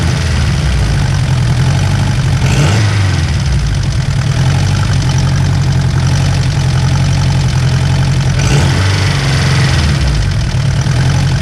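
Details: Turbocharged Honda S2000 on stock internals, warm idle: a light, fast rattle over the steady low drone, likely top end; owner suspects the tensioner and plans to swap it.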